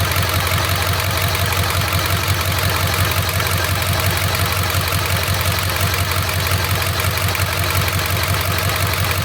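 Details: 7.3 diesel fitted with brand new injectors, #5 fails the contribution test; diesel clatter at idle with a faint uneven beat about twice a second, a slight rough idle from the weak cylinder 5 contribution.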